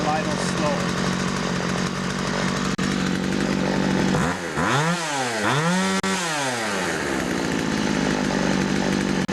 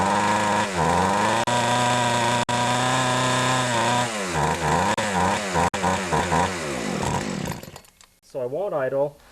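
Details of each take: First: Older Poulan 2150 chainsaw with Walbro carburetor after carburetor screw adjustment: steady buzzing idle, revs cleanly twice and drops back without stalling; carb now set right. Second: Older Poulan 2150 chainsaw, Walbro carburetor deliberately untuned: steady high drone then blubbering and wavering off throttle; running way too rich, low (left) screw to be turned in half a turn.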